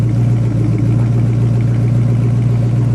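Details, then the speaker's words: Plymouth Scamp muscle car, flood-damaged, warm after about 125 miles of driving home, heard from the rear: even low V8 rumble with regular exhaust pulse, no ticking or knocking; normal healthy idle. "let's see how she's doing back here sounds healthy"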